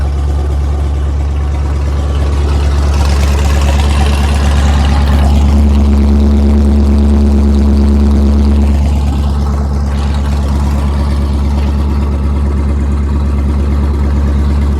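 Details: Cold L92 LS V8 swapped into a Chevy Colorado ZR2, straight-piped, on a Holley Terminator Max with an added inline fuel pump, at a fast warm-up idle of about 1200 rpm (under 1000 once warm): a deep, loud, even rumble with no misses or knocks, healthy.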